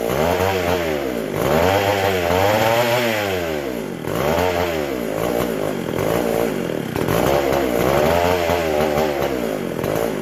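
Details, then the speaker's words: McCulloch SP125 chainsaw after carb rebuild, off throttle with butterfly closed: keeps racing and surges up and down every couple of seconds; owner hears an air leak, carb not pumping fuel; a large gap between carb and intake was later found. "So hearing an air leak somewhere because it is not pumping fuel and it's running just incredibly fast with the butterfly closed."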